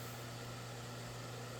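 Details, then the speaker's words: Vornado fan (Pivot3 or Flippi v6) used in the UK on 50 Hz, now run on proper 60 Hz supply at higher speed: steady low mains-type hum at even pitch under airflow rush; a whine appeared after hours of use. Motor hum. "You can hear that 60 Hz hum instead of the 50 Hz one, which is funny. At least it's lower, it's not too low."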